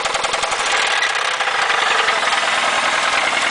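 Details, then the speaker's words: 1996 Toyota Celica (5S engine), 118,900 miles, failed on the highway three weeks after purchase: idling with a fast, steady metallic rod knock that keeps time with engine rotation. "yeah that's rodnock for you a 5s with 118 900 miles on it with rodnock as you can see"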